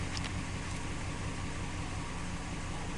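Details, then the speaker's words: 2014 Dodge Ram 1500 5.7L V8 idling after coil swap: low drone with uneven, loping pulse that breaks rhythm, one cylinder stumbling; misfire persists on cylinder 6 with no stored codes, plugs to be checked next. "still green. That's interesting. I still feel a little wiggle. There's definitely a misfire under there."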